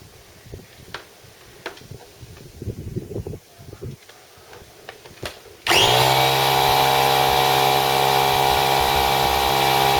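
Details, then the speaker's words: Secondhand small Stanley air compressor, first test after purchase: a few seconds of rattling, then a steady, even motor drone and pump beat, quickly pumping up to about 110–115 PSI; normal compressor running. "well that's quite impressive it soon pumped up to about a 110 115 PSI so certainly uh no problem with that so far"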